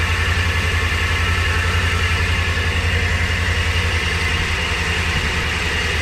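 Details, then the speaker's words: 2000 Ford Ranger, 124,000 miles, at idle with WD-40 sprayed near the belt: constant high squeal that doesn't change; blamed partly on the WD-40, tensioner pulley probably also at fault. "all right they're here a little bit of a belt squeal but I think that's the wd-40 I got on it but I think it's the probably your tensioner pulley as well"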